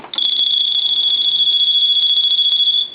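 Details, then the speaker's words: Dolphin novelty telephone after repair of background hum and low volume, final checkout: shrill, fast-warbling buzzing ring held almost three seconds, then cut off cleanly; ringer working normally. "so it's a final check out let's go ahead and ring the phone"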